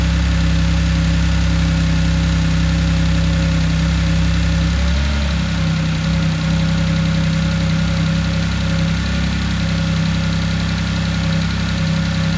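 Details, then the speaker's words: Audi S4 rebuild after Copart purchase starts well: smooth, deep idle with a brief dip that recovers; slightly throaty, possibly from the exposed air box cover and a defective, maybe leaking exhaust clamp; engine sounds good. "there we have it she starts beautiful sounds fine prepare engine sounds good"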